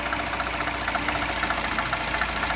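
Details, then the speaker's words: New timing chain on a 1.6 THP engine at cold idle: fast, even light ticking is normal valvetrain noise from the cylinder head, not the chain; engine healthy. "il est normal d'avoir un bruit un peu mécanique auquel on n'est plus trop habitué avec les courroies. On a ce bruit de frottement de chaîne."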